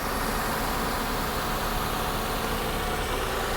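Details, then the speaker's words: Copart salvage car with a timing belt replaced at 137,484 miles in February 2018 and leaking valve cover gaskets needing repair, idling: a steady, even, smooth low hum with no knocks, ticks or hunting. It runs like a top. "but she runs like an absolute top it's got a good-looking Duracell battery"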